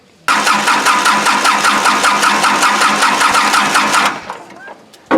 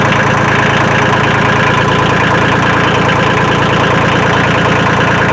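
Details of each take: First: Kubota L2350 diesel tractor that died from water in the fuel tank, bleeding injector lines after cleaning and new fuel: steady starter churn about 2.5 beats per second for four seconds with no firing; air still in the lines. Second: Kubota L2350 diesel tractor after draining water from the fuel system, refilling with new fuel and bleeding the lines: even diesel clatter about three beats per second, steady with no misses or hunting, slight white smoke remaining; runs well.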